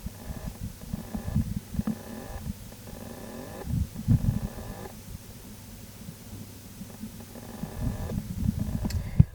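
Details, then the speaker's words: Toshiba Libretto 100CT laptop hard drive, unused for a year or two: low uneven whirring and rumbling with faint scraping, platters never reaching steady speed; failing drive struggling to spin up. "Well, I don't know if you can hear that, but it's certainly struggling. It's making some mechanical noises like it's trying to start up."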